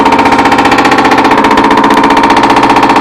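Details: Nine-year-old Whirlpool Duet washer in the spin cycle: fast, heavy, rhythmic pounding in step with the drum. Cause found was a broken spider arm on the basket, which had gouged the tub and made it leak.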